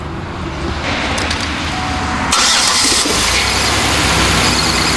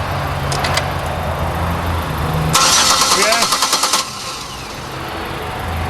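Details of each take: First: GM 3.8 V6 in a Buick Lucerne that cranked but would not start; a crank sensor was suspected. After a 15 A fuse was fitted, spark returned and the plugs were reconnected. Starter whirrs briefly, then the engine catches and settles into a steady, even idle. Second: Buick Lucerne with GM 3.8 V6 brought in as crank-no-start: starter churns with an even rapid beat for about a second and a half but the engine never fires; a blown electronic ignition fuse was found, crank sensor also suspected.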